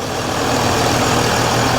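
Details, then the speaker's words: Mercedes ML350 with a rebuilt replacement engine, just after first start: steady even clatter at idle, no knocks, misses or rattles; running smoothly and healthy. "I'm massively impressed with myself. I'm really happy. It sounds great."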